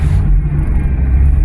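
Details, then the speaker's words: Old van woken after long storage, fuel pump primed before cranking; once started, it runs with a deep, steady low rumble and no misses or knocks. Normal running. "Well, of course it will. The question is, will it move?"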